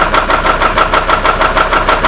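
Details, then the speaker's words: Copart Hummer H3 with a stalling issue and a suspected rod bearing problem, idling after new camshaft/crankshaft sensors: sharp, regular knock about five or six a second; owner thinks it comes from the top of the engine, not the bottom end. "what's interesting guys is that sounds like it's on the top of the engine and it sounds like it's coming from right here it definitely does not sound like a bottom ends issue"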